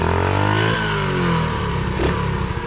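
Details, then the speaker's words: Baja Dirt Runner 50 pit bike, sitting for unknown years, revived, on a test ride in an alley: crisp single-cylinder bark picking up cleanly on each blip and settling evenly, no knocks, smokes a little; normal running. "okay gang we over here in the alley and I must say man this thing runs great it does smoke a little bit but it has been sitting for a Lord knows how long"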